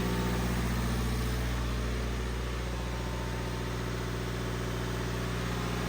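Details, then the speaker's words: Mercedes 1.5 diesel with a DPF clogged by short school runs (P2463, P244B, P244D, P0299, loss of power), bonnet open, nobody in the car: a steady diesel drone as a diagnostic tool raises idle for a forced DPF regeneration of about 15 minutes. "You can hear the revs going up. I haven't done anything, and there is nobody in the car as"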